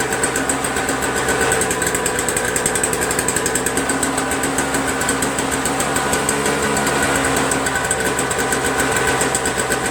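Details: Toro Snow Commander 7 HP R-Tek 24-inch single-stage snowblower, earlier no-spark no-start, spark returned without a part change: fast even single-cylinder putter about four beats a second, steady, no misses or knocks; normal running.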